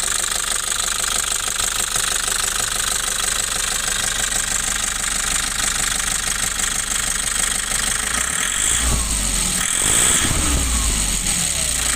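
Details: Nissan Urvan Estate E25 diesel (FB P7) idling with a hard, rhythmic clatter of about three knocks a second, caused by incorrect injection timing.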